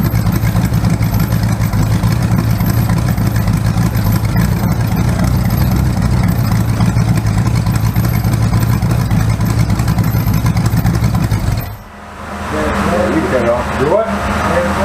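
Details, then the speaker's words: Rebuilt 408 small-block Chevy V8 on a run stand with open headers, timing 20° initial: lumpy idle with a stumbling beat; number one cylinder misfiring on a bad used spark plug. "Yeah, these number one cylinder's got a bad plug. I didn't buy new plugs. I just used whatever I had in my box. So number one cylinder's not firing right, but not bad."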